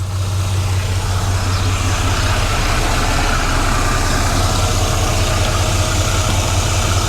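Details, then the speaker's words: 1993 GMC Sierra C1500 just after installing a Delta Current Control fan controller, not yet hot, AC off, fan set to start at about 180°: steady even low idle, smooth rumble, no ticks or knocks, no fan noise. Normal idle. "All right. So, as you can see, the truck is running. The fan is off."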